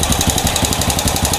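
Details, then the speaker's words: Honda Supra motorcycle fouling spark plugs, new aftermarket carburetor, at idle: rapid uneven ticking, about ten a second, over lumpy rough idle; leaking valves suspected. "Ini motor hidup walaupun suaranya ada suara ketikan ya, suara agak kasarlah bahasanya kayak gitu."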